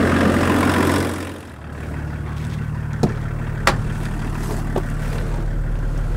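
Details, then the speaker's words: Land Rover P38 with BMW six-cylinder diesel, engine still cool, after new radiator and viscous fan: brief rev then settled idle, no whooshing fan roar as before; new viscous fan freewheeling properly. "So hopefully you guys are able to hear the difference here, but that rush, that whooshing noise that the viscous fan was making before whenever I revved it has gone now. So that new viscous fan is loose as it should be because the engine's still cool."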